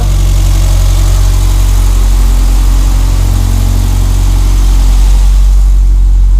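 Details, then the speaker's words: Renault 5 GT Turbo idling loud, deep and steady with no hunting or stumbling, after mice chewed fuel and boost lines; it had been running very rich, VE table checked over Bluetooth, engine back to normal. "oh back to normal again so yeah it's really sweet"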